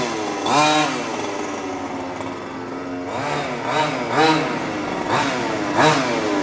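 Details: New HPI Baja 5T small two-stroke on first slow drive, warmed up ~30 s, driven back and forth while setting steering trim: short crisp, even throttle blips. Running properly; idle slightly high, to be tuned after first tank or two.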